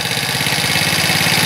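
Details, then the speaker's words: Yard-sale Chinese ATV single-cylinder, just started with choke on, warming up: steady putter at idle, pulses edging faster as idle ramps up; idle speed rising during warm-up, adjustment likely needed after about 10 minutes' warm-up. "whoa wat it sounds like the idol set pretty good like I said earlier let out warm up [Music] there goes starting to ramp up a little bit"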